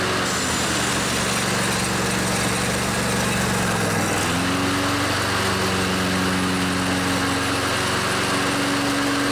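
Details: Craftsman DYS 4500 riding mower with a Briggs & Stratton 24 hp twin-cylinder Intek engine, sat outside in storage. After the fuel tank was cleaned and refilled and the drained carburetor refilled by the fuel pump, it gives a steady, clean hum that shifts pitch once. Normal running.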